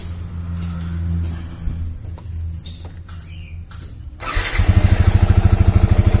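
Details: Yamaha Vixion New that wouldn't start, on a borrowed good battery, charging now normal at about 14 V: quiet, then catches and settles into an even thumping idle about 2.5 beats a second; normal start.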